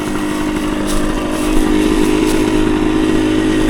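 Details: 1975 Suzuki TS125 two-stroke on a road ride: crisp steady buzz picking up cleanly with throttle, no misses; any banging is a loose tank fastener in front of the seat, not the engine. Runs great.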